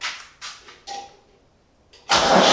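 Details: Restored Ford 4100 tractor after starter/solenoid work and rewiring, battery cables adjusted and cleaned: a few clicks and short cranking tries, then the engine catches and settles into a steady, even run, starting cleanly.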